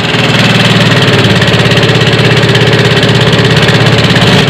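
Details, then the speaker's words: Yamaha Mio FI 125 / M3 scooter engine idling loud and harsh with a clattery, uneven mechanical rattle over the exhaust beat; rough "kemlatak" engine noise with many possible causes, to be inspected. "luar biasa kawan suara ekstrim Oke kawan ya nanti akan kita periksa poinnya suara ke matak itu sumber penyebabnya banyak"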